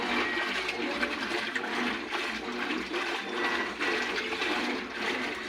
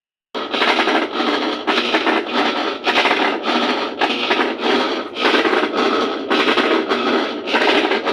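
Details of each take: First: Colormaq 12 kg top-loading washing machine agitating after the gear, bearing and seal were repaired to cure an absurd mechanism noise. The water sloshes steadily with no knocking or grinding. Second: Colormaq 12 kg washing machine during agitation, before repair: loud harsh scraping grind pulsing with each agitator stroke; worn transmission gear, bearing and seal, later repaired.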